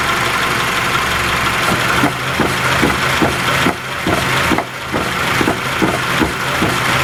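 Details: Raceland coilover strut failing: irregular hollow clunks about one a second over engine noise; strut later replaced under warranty, which fixed it.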